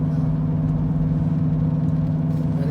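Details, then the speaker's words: 2014 Ford Escape at about 80 km/h and above: steady low helicopter-like drone from driver-side front wheel under road noise; mechanic diagnosed front driver-side wheel bearing, first suspected transmission. "now if your car have the same problem with this the same noise it might be the wheel bearing [Music] but it's it's 90 it's a well-bearing if you hear your car have a noise like this"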